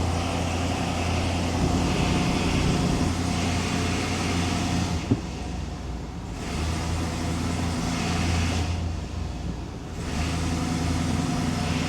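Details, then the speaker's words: 1999 Chevrolet C1500 Suburban, 5.7 L 350 small-block V8, in gear and power-braked under light throttle: uneven, shaky rumble. Scanner shows misfires on cylinders 2, 3 and 6 (P0300), though counts later stop registering. "Give it a little bit of throttle here. Two, 3, 6. Yeah, it looks like 2, 3, and 6 for the primary offenders. Power braking it a little bit. It's getting shaky."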